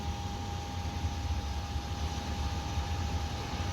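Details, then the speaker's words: Toyota FJ62 Land Cruiser after restoring the old fuel tank and fitting a T100 pickup fuel pump on a modified bracket: steady high pump whine at one pitch over a low rumble, no sputtering or surging, leak fixed; normal fuel pump operation before first engine start. "well nothing's leaking yeah i hear running definitely was leaking pretty bad that first time but uh seems like it's good to go"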